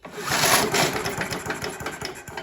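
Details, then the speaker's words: Scott Bonnar mower, Briggs & Stratton Sprint 375 4-stroke, spark test with plug grounded to the block: quick rattling pull-cord turnover with light ticking, never catches; no visible spark. "Now interestingly, I can't see any spark, which has got me mystified as to why it started in the first place, but I'll just give that a few more pulls."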